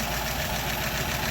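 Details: 1936 Buick Century 320ci straight-8 after exhaust manifold leak repair, warming up: even, steady idle with no puffing or ticking at the manifold; smooth, healthy.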